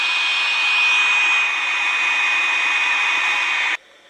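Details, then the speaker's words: Restored Hallicrafters S-210 receiver with background static from fluorescent and LED lights, plus a steady high-pitched squeal that cuts off sharply, picked up from a nearby HP DV1000 laptop that was supposedly off; radio interference from nearby electronics. "This is regular static that you're hearing now, interference and everything else, and the fluorescent lights and the LED lights. But listen to this. This computer's off."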